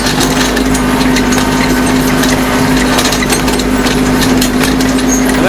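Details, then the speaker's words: Kubota B2650 tractor with folding ROPS, driving at about 2,000 rpm before fitting Kubota part 53721-61533; loud diesel drone with metallic chatter from the loose folding rollover bar rattling in its mounts; ROPS rattle. "already here at some rattling going over those hall as you can hear those rocks are rattling about 2,000 rpm"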